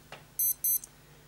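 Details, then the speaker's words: Casio F91W digital watch, working again after battery change and refitting: test alarm held gives three short, sharp, even high-pitched chirps in a quiet room; alarm tone sounds healthy and normal. "you can hear that that's working fine as well hold that in the test alarm"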